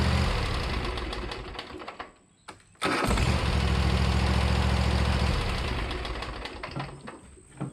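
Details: Riding mower idle about six months, new starter and battery fitted: brief cranking, short pause, then catches at once and settles into a loud, even idle; starts and runs fine.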